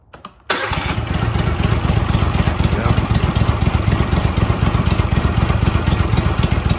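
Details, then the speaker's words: Walker mower mid-restoration, after reassembly, running only on fuel left in the carburetor with the blower engaged. It fires up and settles into an even putter of about four beats a second with no misses. Runs smoothly. "uh all the mechanics are running i can actually engage the flower and uh yeah running good running good"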